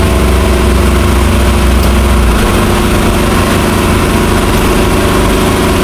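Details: 1963 Chrysler Newport V8, revived after sitting, smoking: deep, steady rumble at idle, even firing with no misses, knocks, hunting or stumble off idle, a normal idle.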